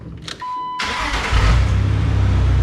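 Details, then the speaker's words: 2005 Jeep Wrangler Unlimited TJ 4.0 after replacing clogged catalytic converters with new exhaust: brief crank, catches cleanly to steady even idle with no knocks or misses; sounds much healthier while computer relearns fuel ratio. "It just sounds so much healthier. Like, it's just that good, like, sound."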